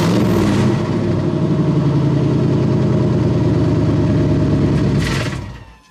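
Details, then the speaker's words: 1998 GMC K3500 one-ton dually, 454 (7.4L) Vortec V8, before new exhaust: steady deep idle with loud hollow airy rasp; rotted-through muffler and tailpipe leaking, to be replaced with custom H-pipe and 3-inch dual exhaust. "so yeah it's just really airy sounding rotted up muffler"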